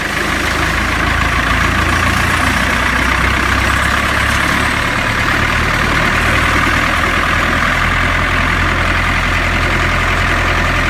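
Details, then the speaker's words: Chase Salsco chipper diesel engine just started with the oil pressure override held while the gauge climbs, idling at 790 rpm: a steady, even low rumble with no knocks or misses. Normal idle. "The engine's running. Watching my oil pressure gauge. As my oil pressure gauge climbs."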